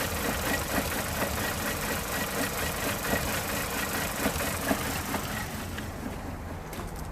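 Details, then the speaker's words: Vauxhall/Opel Corsa D Z14XEP petrol idling slightly lumpy with irregular soft thumps, apparently misfiring, no engine light yet; cause was a vacuum leak causing lean misfire. "it really looks like is misfiring and I don't know if you can hear from here probably not it's a little bit lumpy sort of and there's no engine lights yet"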